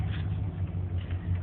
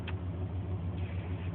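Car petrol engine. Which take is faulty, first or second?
first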